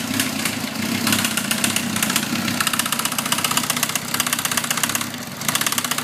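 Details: Suzuki GSXR 1000 at idle, 33,000 miles, no FI code, 175-180 psi compression on all cylinders, negative leakdown; fast even ticking, louder at the cylinder head, comes and goes; owner suspects valve train.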